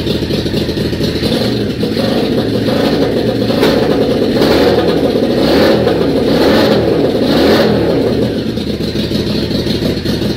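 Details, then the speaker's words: Yamaha Virago XV535, not started for a few months, on a charged battery with the fuel pump primed and a bit of choke: the twin catches and runs lumpy and uneven with a few throttle blips. A normal cold start on choke. "I'm going to turn the key and see if it starts. Fingers crossed, eh? So here we go. There's fuel pump. Give it a bit of choke."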